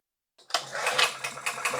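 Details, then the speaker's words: 2000-watt generator unused for years, starter fluid in carburetor: a second of ragged rapid pops then dies; compression, spark and oil present but no fuel reaching it; fuel starvation, carburetor to be inspected. "Whoa! Okay, great. So we have compression, we have spark, we have oil. We're just not getting fuel."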